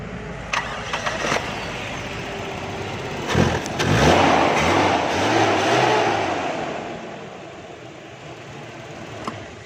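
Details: 1982 Toyota Corolla with new battery that wouldn't crank, after cleaning and greasing the corroded battery terminal: brief even cranking, engine catches cleanly and settles to steady idle; starting now normal.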